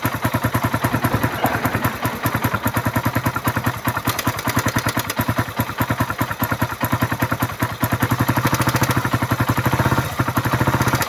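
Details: Suzuki Raider single after overheating and dying; carburetor cleaned, filter, spark plug, regulator and battery replaced, oil added; one-click start, dense uneven ticking clatter on every firing pulse – noisy engine ticking ("pumipitik"), cause not confirmed.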